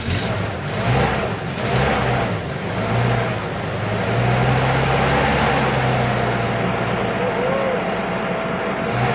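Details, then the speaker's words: 2007 Holden Rodeo ute, insurance repairable, sat 8 years: fires quickly and revs up and down cleanly with an even note, outdoor noise behind; easy, healthy start. "That was pretty easy, not compared to some of these other ones I've got"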